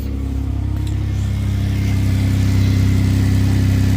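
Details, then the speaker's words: 2006 Hyundai Azera 3.8L V6 after fixing a shorted ignition coil that blew the coil fuse and caused crank-no-start: smooth, even idle with a steady low hum rising slightly as it settles, no misses; normal idle. "If this popped, it wouldn't be running. It's very interesting that a bad coil was shorting out, blowing the fuse, and stopping the car entirely."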